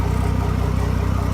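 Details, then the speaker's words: Mercury Verado 250 outboard after replacing the isolator boot, whose vacuum loss caused high idle, hissing and shift actuator fault: smooth, evenly pulsing low idle with no hiss; idle back to normal. "we go no hissing idols like to normal"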